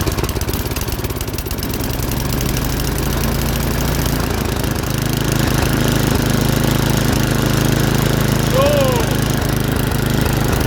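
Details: MTD snowblower, 8 hp Tecumseh engine, after cleaning a dirty carburetor, fresh gas, full choke, low throttle: small single thumps along at a steady lope, rough at first then evening out; normal running after carburetor cleaning.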